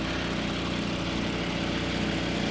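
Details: 2022 Toyota Avalon at idle with multiple misfire and check engine/traction lights: steady hum with faintly uneven, stumbling beat; scanner flagged cylinders 3 and 6; ignition coil suspected. Misfire, cause not confirmed.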